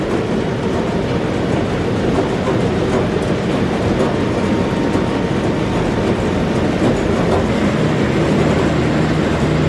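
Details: Massey Ferguson 40 combine (possibly 1996), sat 3 years; steady deep diesel rumble with an even, unbroken beat and rattly body shake over it; engine shakes the machine quite a bit; normal running.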